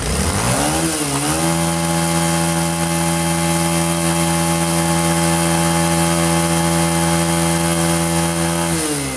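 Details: Bajaj Pulsar motorcycle engine revs from idle to a clean, steady high note, holds, then settles back; no rattle or rustling noise, sounds healthy.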